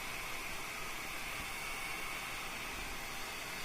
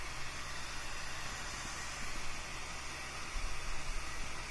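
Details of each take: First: Fan driven by an Arduino and MOSFET at 50% duty PWM, 32 kHz, drawing about 540 mA: a soft, even airflow hiss with a faint steady high note. It runs fine and smoothly, and the PWM is inaudible. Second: 12V fan rated 1.32A, driven by an Arduino and MOSFET at 50% duty PWM with no smoothing after the MOSFET: at 64 Hz a soft, steady low hum sits under the airflow hiss.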